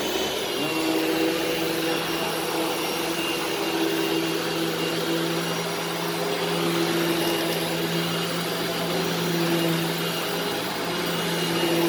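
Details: Upright vacuum running in carpet mode; steady, even motor hum with constant pitch and smooth airflow rush, running normally.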